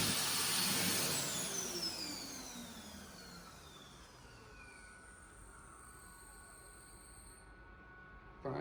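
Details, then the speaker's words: Mitsubishi U2 hand dryer filmed November 2022 after only a few weeks in service: the motor whirs down with a falling pitch and a thin high squeal lingers at the end of the spin-down. Squeal at shutdown. "whilst the main shutdown doesn't sound too bad play pay close attention to the high pitch squealing at the end of it"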